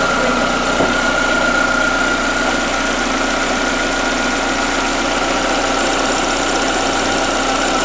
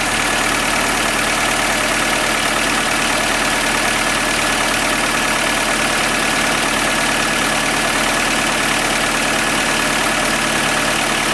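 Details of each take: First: Skoda Fabia 1.4 BKY, automatic, after engine rebuild for piston slap (noise on cold starts and under load): steady, even idle hum with constant mid tone, no rhythmic knocking; rebuilt engine sounds healthy, normal idle. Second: Skoda Fabia 1.4 BKY petrol engine at cold idle, faint light knock over the engine note that slows as revs drop; louder when colder, fades as it warms, also heard under load uphill; enlarged piston-to-cylinder clearance, piston slap, confirmed on teardown.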